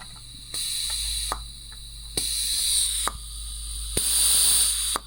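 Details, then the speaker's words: Land Rover/Ford 3.0L SDV6 diesel (306DT) Discovery 4 piston cooling jet on bench test rig with pressure regulator, pressure slowly raised; hiss bursts with clicks as it pops open between 1.1 and 1.2 bar, opening normally. "So I hook it up to my test setup right here. And you can see I got a pressure regulator here and the cooling jet here. If I increase the pressure slowly now, you hear it release."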